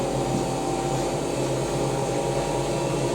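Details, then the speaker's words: Hotpoint BIWDHG75148UKN integrated washer dryer with Welling motor on rinse and spin, around 1400 rpm: steady even whooshing hum, no knocks, scrapes or rumble; drum spins smoothly, sounds good. "No, it sounds quite good. This is awesome. It sounds good."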